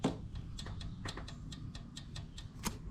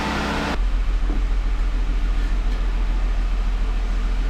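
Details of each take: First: 3.6L Pentastar, cylinder number four: a loose intake-side rocker arm rocked by hand gives sharp irregular metal clicks; excess valve train play blamed for the misfire, and the exhaust side also shows play, before rocker arm and lifter replacement. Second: 2017 Jeep Wrangler 3.6L Pentastar, 46,000 miles, after rocker arm and lifter replacement for a driver-side ticking: engine catches straight away and settles into a smooth, even idle with no ticking or knocking; normal idle.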